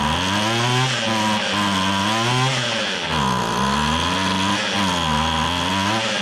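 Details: Free restored two-stroke weed trimmer, reversed fuel hoses corrected so it pumps gas; buzz climbs and drops smoothly as throttle is blipped, no misfire or stumble, running properly.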